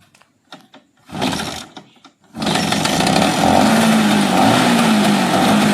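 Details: Bajaj Chetak two-stroke scooter cold started after 15 years unused, choke lever not working, tilted to side and fuel held about 10 seconds before kicking; a couple of kicks, then it catches and settles into a steady buzzing run.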